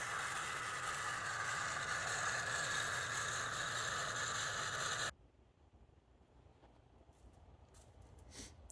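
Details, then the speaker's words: Band saw bought in parts, first run after wiring the motor into its wire block: an even motor hum and blade whir for about five seconds with no knocking or belt squeal, then it shuts off. Normal, healthy running. "okay there it is we got her running this is what I needed just the way it sits"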